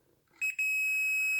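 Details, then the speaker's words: Industrial welding turntable with melted earth conductor: continuity tester gives a steady high beat-free beep across neutral and frame, and live too, showing a dead short to earth. "so that's a neutral conductor and that's showing me dead short to earth"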